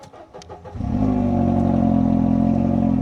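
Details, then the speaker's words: Mercedes SLK R170 that had dash warning lights on with the ignition off and would not start, caused by the light switch/light control module. With the module wires disconnected it cranks briefly, then starts straight away and idles smoothly and normally. "Sehän lähti heti"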